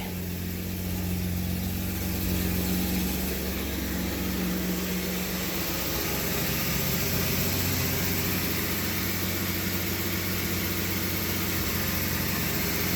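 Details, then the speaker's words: 1991 BMW 750iL E32 that sat a long time with old gas and a large gas leak. Just started after priming, it runs a little rough with a wavering low idle. Maintenance history is unknown; could use a tune-up. "she's running a little rough I definitely need to check the fluids over"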